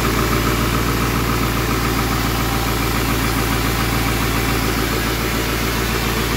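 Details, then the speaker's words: 7.3L Powerstroke turbo diesel (Navistar T444E), 372,000 miles, first start in about two years; steady even cold-idle clatter with a deep heavy exhaust drone, exhaust back pressure valve working; smooth, healthy normal cold idle. "sounds like the exhaust back pressure valve works"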